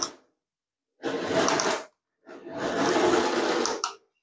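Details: Nikko 9045 RC Teenage Mutant Ninja Turtle Party Van (2.4GHz), charity-shop find run with a matching spare controller after reassembly: two short bursts of steady motor whir, no slipping or gear clatter; drive runs cleanly forwards and backwards.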